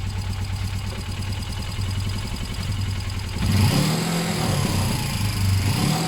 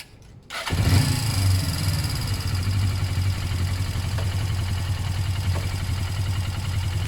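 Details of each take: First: Suzuki GS500 warming up after a service: a lumpy, steady idle jumps to a higher speed when the bars are turned one way, because the too-tight throttle cable pulls the carb open; it may need a new cable or rerouting. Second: Suzuki GS500 twin, battery fitted after service and oil change, throttle cable slack adjusted to stop revs creeping: engine fires and settles straight into a steady, even idle with no creeping revs as the bars swing left to right; normal idle.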